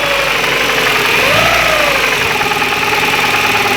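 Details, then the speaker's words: 2001 Ford Ikon after engine work, timing chain already replaced: whining tone over the running engine climbs in pitch with revs and falls back; engine vibrates slightly; source unknown. "And now it's normal, but it's not the normal sound that it makes. As I rev the car, it goes up."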